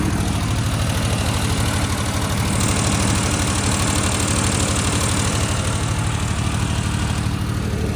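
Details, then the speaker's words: Suzuki Mighty Boy with an intermittent coolant leak, idling after a drive home: steady low throb that sits fast and never settles. Idle still high, though the car drives fine. "let me show you guys more of the Mighty boy since today's video consists of that idle's still kind of high about to pop the hood and see if I see any coolants"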